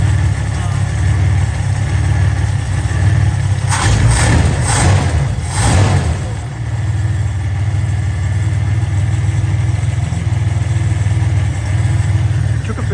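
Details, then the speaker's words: HZ Holden Kingswood wagon after Reco carburettor installation, heard at the rear: deep uneven lumpy idle with a rev blip, missing and rough as before; owner suspects fuel system, points or leads, not confirmed. "As you can see, it's almost like the same as it was before, so I'm going to have to investigate it. Maybe it's fuel related, maybe it's just whatever, but this is what it sounds like at the back."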